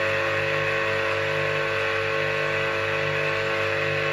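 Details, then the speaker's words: Old Soviet three-phase motor, bearings regreased, run on single phase via capacitor (10 µF start, 15 µF needed) wired in delta; loud gritty buzzing hum, while star connection runs softer and cooler. "Вот это работа на треугольнике. Слушайте, как он шумит на звезде? И потом сравните со звездой."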